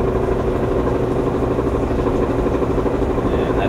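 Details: Maytag ALE230RAW electric dryer, complaint of thumping when spinning, rear roller initially suspected: drum hum with steady uneven thump about three times a second from worn idler pulley.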